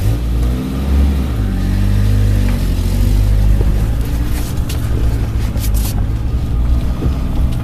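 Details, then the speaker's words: Suzuki Samurai SJ413 1300 after fitting a Toyota Corolla 3K-C 1.2L carburetor, needle-valve flooding cleared: deep even drone builds smoothly under load from low speed, even starting out in second gear, no stumble or misfire; normal running under load. "Okay, so it's been running good now. Now even starting out in second."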